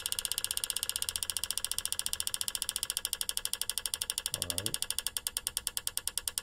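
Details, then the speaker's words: GM 3.6 LLT V6, purge valve solenoid commanded via XTOOL D8 bidirectional test for EVAP P0442: sharp loud metallic clicks about two per second; old solenoid much clickier than the new one, confirmed faulty purge valve. "i don't know if you can notice but i can notice that that old one was much clickier than this one so with that said um that's another indication that probably the purge valve is going bad"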